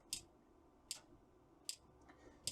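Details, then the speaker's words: Trojan treadmill control board DCMD67 with the clicking relay fault. Sharp relay clicks about every 0.8 seconds over faint hum. The collapsing supply keeps resetting the microcontroller, which drives the relay through an optocoupler on and off. "So the microcontroller is trying to start, bring the relay in, the microcontroller stops, brings the relay out."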